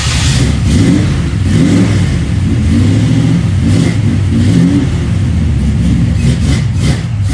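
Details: 1955 Pontiac Custom with 327 V8 and 4-speed, just out of storage, hard life but ran fine last times: deep strong V8 note revving up and settling evenly, no misses, knocks or rattles; running healthy.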